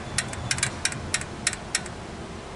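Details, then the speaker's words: 2008 Honda Pilot with code P0976 (shift solenoid B low input): transmission shift solenoid gives sharp, crisp clicks about three a second when energized, so it is likely good; fault may be in the harness. "Then we're going to touch this and see if we hear click. It's clicking. Now, that would mean that this solenoid, it should mean that it's good."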